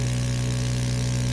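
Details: ST 1520 3D mini vacuum sublimation heat press, vacuum pump pulling down the ceramic plate: steady, even low hum with no knocks or rattles; running normally.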